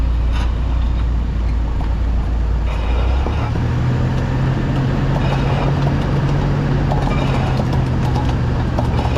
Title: How Wheel Bearing Sounds When It Goes Bad and How to Check